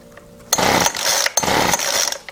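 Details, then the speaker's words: Weedeater Featherlite FL25 two-stroke trimmer engine on half choke: two short ragged high buzzing bursts that catch and fade within a second; it sputters and stalls, and owner suspects fuel isn't getting through even after pumping the primer bulb. "obviously fuel is not getting somewhere I mean I can pump the bulb"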